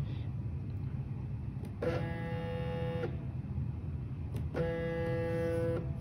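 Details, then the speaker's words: Arduino-based CNC stepper motor commanded to move 2 cm: two bursts of steady buzzing hum, shaft not turning; symptom persisted after swapping the driver, cause not yet found. "tidak berputar ya di sini hanya mendengung ini saya ngirim perintahnya bergerak dua senti ya tapi ternyata Bahkan dia Hai tidak berputar nya"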